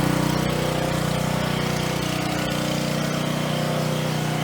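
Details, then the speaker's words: Coleman Powermate 3750 generator, about 9 years old, stored on non-ethanol gas, warming up before a 1500 W heater is plugged in: steady, even drone with a constant low hum and no misses or surges. Normal running. "You can tell it's got power because of the light side here. I'm going to let it warm up a bit before I plug in."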